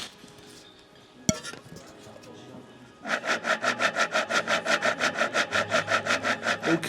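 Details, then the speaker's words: Road bike front hub after rain riding, spun by hand: after quiet start, gritty rasp pulsing about three times a second; water got in, seals failed and bearings rusted, to be replaced with new bearings. "那么这个轮组的前花鼓呢，肯定就是轴承有问题了，转起来的时候你能听到这样的声音。"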